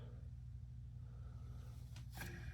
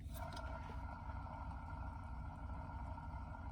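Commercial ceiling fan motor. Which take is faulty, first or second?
second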